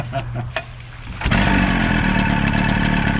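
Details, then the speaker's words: 25 hp Evinrude two-stroke outboard bought for a flatboat, after replacing kill switch wires and the kill switch: quiet cranking, then catches and settles into a quick, steady burble with no misses; normal start and idle, owner hears a slight knock. "yeah, baby. Sounds good. I'm gonna take a video and send it to the boys."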